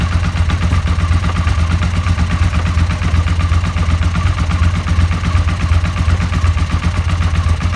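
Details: Suzuki SV650: deep heavy thudding about 160 a minute under a rough clattery idle, crankshaft bearing shells knocking.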